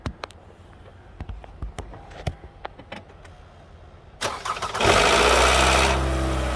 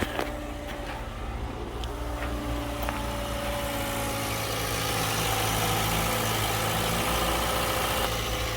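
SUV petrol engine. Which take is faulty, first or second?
first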